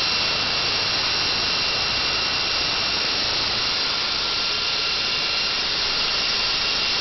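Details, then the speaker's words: NetGain WarP 9 DC motor from an electric Daytona (~10,000 miles), first no-load spin after fitting new, freshly seated brushes (two old brushes had never engaged): smooth steady high whirr with constant hiss, no scraping or ticks; may sound quicker than before. "I'm no expert but it sounds like it might be spitting a lot quicker than it was before already"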